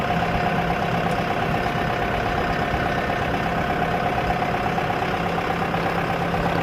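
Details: Idle on a boat (outdrive) engine being tested in a budget 1967 Mustang fastback conversion build: a steady dull, fairly regular knock near three per second rides over the engine note; deep internal knock, owner judges the engine junk, cause undetermined.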